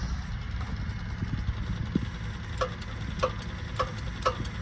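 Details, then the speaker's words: Kubota M62 tractor, key on, after replacing the factory third-function power switch with an aftermarket switch: crisp clicks about every half second over a low steady hum; third-function solenoid engaging normally. "Now you can hear that the third function selenoid is working."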